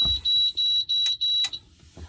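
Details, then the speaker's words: 1988 Amstrad PCW 8256 computer, heavily used, attempting to load a very dirty floppy disk: five short, shrill beeps about two a second after the read fails; disk read error, dirty disk suspected. "So yes, it started to read it, and then it's failed. So let's try again. There we go, that's the loading procedure. Yeah, sounds like it's failing again."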